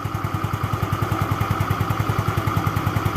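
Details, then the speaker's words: Yamaha Xeon scooter after engine repair idles smooth and clear like new with an even, steady low thump; the earlier knocking (kemlitik/kemlotok) has stopped, confirming normal idle. "Suaranya halus, jernih, persis seperti motor baru, kawan. Dan ketukan itu sudah berhenti ."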